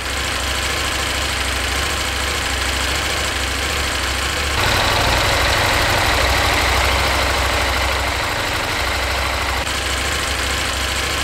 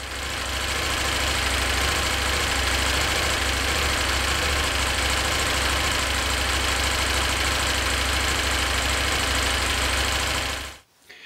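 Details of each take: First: KTM 890 Adventure R parallel twin, after fitting a Dirt Tricks cam chain tensioner to cure engine ticking: steady, deep, even idle with no obvious top-end ticking, much quieter than before. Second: KTM 890 Adventure R twin idling before fitting a Dirt Tricks cam chain tensioner upgrade: busy fast ticking over the engine note, the owner's annoying engine tick.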